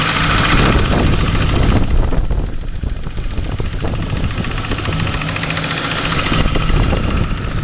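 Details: Ford Crown Victoria idling after new heads, cams and all new timing parts were installed: loud uneven idle with a tick or knock about three times a second over the engine. Source unclear.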